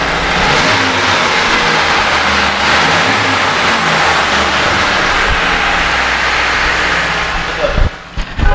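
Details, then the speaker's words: 2015 Mitsubishi T120SS pickup, original condition, in neutral, engine check for odd noises or bad bearings: runs evenly, revs rise and fall smoothly with no knocks, ticks or misses; healthy-sounding engine. "Nah, kita starter. Mobil ini udah netral, kita starter. Nah, ini untuk suara mesinnya."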